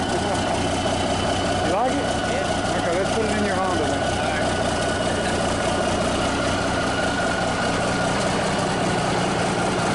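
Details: Cummins 350 Big Cam low-flow diesel in a Kenworth, first start in years: an even, steady rumble with no misses, knocks or hunting. Normal, smooth idle.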